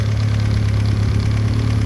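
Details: VW B5 Passat GLS wagon 1.8T turbo four, after a high-flow exhaust manifold install: steady low idle hum with an even beat, no knocks or hiss; idles cleanly.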